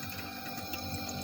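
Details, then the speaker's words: One-door refrigerator, compressor running and cabin light on but not cooling; steady compressor hum with faint watery gurgling heard at the freezer/evaporator, instead of a breathing-like hiss; refrigerant has leaked out, system empty of freon. "Bunyi kemerucuk seperti air. Ya. Ini emang berarti bocor nih teman-teman, karena bunyi kerucuk-kerucuk."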